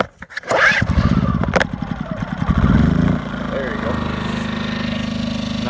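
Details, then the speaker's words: Champion 2000-watt generator, cold start on a cold morning, pull-start with the choke out for the first pull, then pushed back in. It takes a few pulls before catching, then settles into a smooth, even, steady run with no misses. A healthy cold start. "We're going to pull the choke out for the first pull. Press the fucking button. Push it back in. Sometimes you have to pull it for 2. It's kind of cold this morning."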